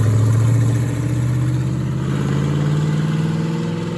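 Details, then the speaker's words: 1973 Plymouth Barracuda, hopped-up 360 V8, old carburetor after sitting: uneven lope as revs rise, rough hesitant pickup; poor throttle response, suspected dead rear accelerator pump, unconfirmed. "Maybe you ran out of gas, man. I think the back to I think the rear accelerator pump shot."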